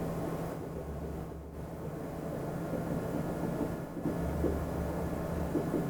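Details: 2010 Chevy Impala idling just after exhaust replacement, checked for leaks by hand at the clamps: steady low rumble with no puffing, ticking or hissing at the joints; the new exhaust sounds sealed and quiet.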